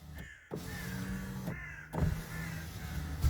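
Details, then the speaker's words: Power window after an attempted repair of the broken window regulator: a low, smooth motor hum runs evenly for about three seconds with no grinding or clicking, so the window now operates very quietly and normally. "that's so quiet it's untrue I am really pleased with that"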